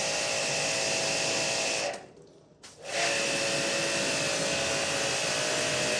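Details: Hanabi JBD 8003 induction-motor pressure washer, 127V/110V, during snow foam bike wash: steady high hiss and motor hum cut briefly at trigger release, then resume evenly; normal operation.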